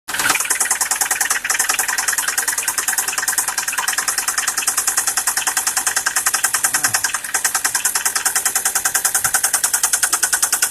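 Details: 2013 Ford Focus petrol engine idling with a steady, sharp knock of about three beats a second; engine failure.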